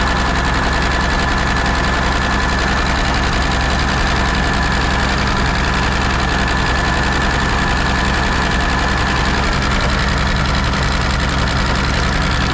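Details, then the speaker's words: Peterbilt 359 diesel started after sitting 20 years with new fuel filter; holds a loud steady clattering roar that won't respond to throttle, a runaway; owners suspect it is burning oil from the turbo seal, little blow-by found. "it won't cuz it's burning the oil from the turo if that's what it is yeah cuz if you jump straight engine oil into the engine it'll run away"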